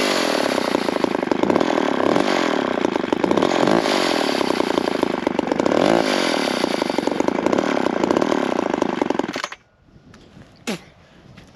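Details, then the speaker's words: McCulloch chainsaw (a 10-10 or Pro Mac 55) screams under cut with an uneven, wavering note and irregular pulses, then cuts out; it runs rough and seems to need adjustment, cause unconfirmed. "like it needs a little adjustment sounds like let me uh play with a little bit and we'll make another few cuts"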